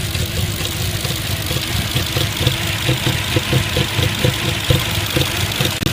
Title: 2005 A6 C6 Cylinder 1-3 misfire 2